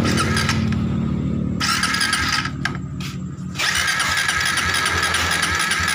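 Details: Suzuki GSX motorcycle, hard to start, with fuel tank removed and fuel fed by an external drip for testing, ignition spark confirmed: starter whirs in fast, even bursts but the engine never catches; injector spray still being checked.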